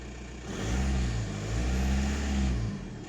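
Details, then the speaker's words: VW Golf Mk4 wagon, 1.9 TDI PD130, just after fuel lift pump replacement, very low on fuel and possibly still with air in the line. The diesel rises from idle in two smooth surges and settles with no knocking: running normally, pump audible, no leaks. "well she's running fuel pumps up making a noise there's nothing squirting out so"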